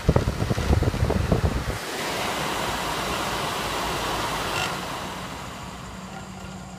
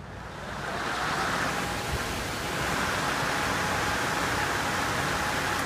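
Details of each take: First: Worn, loose closed-frame pellet stove exhaust blower on a spin test: harsh uneven rattle at start-up, then a rushing whoosh and low hum; the customer couldn't stand the noise, and it vibrates louder in the stove. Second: Upgraded replacement pellet stove exhaust blower (1.75 A high-current, large blades, ball bearing, more magnets) on a spin test: steady airy whoosh with an even hum, no rattle or bearing growl.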